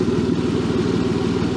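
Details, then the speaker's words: BMW E36 drift car on the lift, exhaust previously patched at the couplers: steady idle with a fast, even puffing tick on the low rumble; suspected exhaust leak at the front flange, later felt there. "wait is it just leaking from the exhaust lamage up front it sounds like it's from here but I don't feel it anywhere like I did before"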